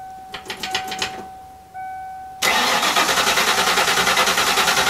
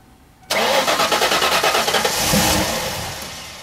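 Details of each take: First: 1995 Mustang Cobra after old fuel drained, fresh fuel and new fuel filter fitted, air in lines: long bursts of fast, steady cranking with pauses, never catching cleanly; slow to start while priming, fuel delivery suspected. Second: 1995 Mustang Cobra after replacing fuel filter and bad fuel pump (previously kept dying): brief cranking catches at once and settles into a strong steady run, rising then easing; clean normal start.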